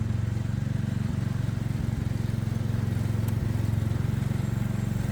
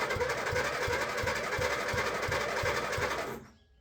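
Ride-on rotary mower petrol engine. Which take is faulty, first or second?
second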